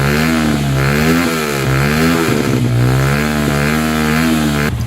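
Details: Motorstar motorcycle with freshly cleaned carburetor: engine runs unevenly, wavering and stumbling in a misfire; battery found weak, about 1 volt at the wiring.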